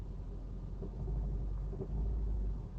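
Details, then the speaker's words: Car that idles rough in park and sometimes sounds about to die: deep rumble swells loud as the throttle opens, no clear knock; owner suspects something rubbing or knocking, transmission or fan belt pulleys; cause unknown. "that's me pressing the gas but it's super loud it's almost like something is i need someone else to help test it"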